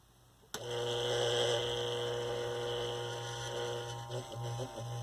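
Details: 1960s Eskimo desk fan model 081005, run briefly without blade after bearing service: switches on with a clean, steady, even-pitch hum, no chatter or rattle; normal motor hum.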